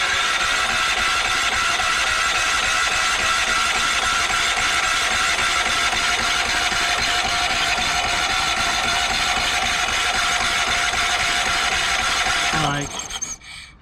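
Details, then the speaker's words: Yamaha EF4000DE generator, gasoline dribbled into cylinder and plug refitted: steady fast cranking with loud hiss and no firing, winding down on release; compression problem suspected, owner wonders if a valve is sticking. "Sounds like there's something wrong with the compression. When you let go of the starter button, you hear too much of like a hissing sound."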